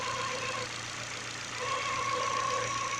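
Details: New Contitec (Continental) timing belt on a car at steady idle gives a thin high whine that fades and returns, with faint ticking; the new belt is suspected as the noise source, not confirmed.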